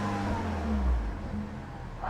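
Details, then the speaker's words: Peugeot 308 GTi (Prince engine) idling after water pump pulley replacement, no engine light: short, quiet, even low hum with none of the old fast jittery noise; idle smooth. "No engine light, let me check. Yeah, no engine light. Idle. Yeah, idle's nice and smooth."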